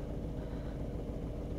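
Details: Seat Ibiza three-cylinder petrol engine with the engine warning light on, shaking violently at idle, seemingly running on two cylinders; low, lumpy, uneven idle; fault code 16685 / P0301, cylinder 1 misfire; suspected ignition coil or spark plug.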